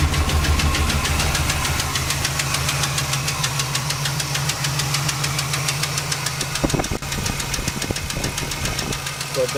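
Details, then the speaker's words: Engine after fresh gas and fuel treatment, ran smooth at first. Now a sharp tick about three per second at idle comes from the top, passenger side towards the back. Suspected valvetrain ticking, not confirmed. "so I ran smooth at first but now you're gonna hear a clicking noise from the top part of the motor on the passenger side I think"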